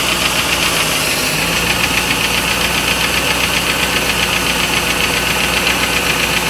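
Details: Steady quick tapping of about four per second over an even idle on a 1995 Lincoln Mark VIII LSC with the Ford 4.6 DOHC; owner unsure whether it is lash adjuster tick or piston slap/rod knock.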